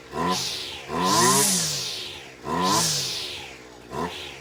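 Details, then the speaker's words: Husqvarna 225L string trimmer that would not rev up: after restart, four rev bursts climb high and fall back cleanly, running better than before; owner suspects a soaked, restricted filter, cause of earlier fault unconfirmed. "you that right there is running better than it did the other day."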